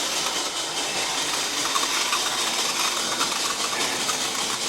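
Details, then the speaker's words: Kit-built OO gauge 3-rail SDJR 7F 2-8-0 locomotive at about 50% on a Sound and Power controller, already lubricated: constant high, gritty buzzing whirr from the motor and gear train; noisy drive running, source unknown. "that's about 50% on the Sound and Power it's very sort of noisy although I did lubricate it I don't know what that noises coming from it's making dubious noises"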